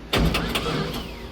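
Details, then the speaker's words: Abandoned LS1-engined speedway car, first start attempt: starter whirs and cranks but nothing catches; no fuel delivery, suspected fuel pump fault, checking its earth. "Alright, there's something going on. The fuel pump fucked. I hope not."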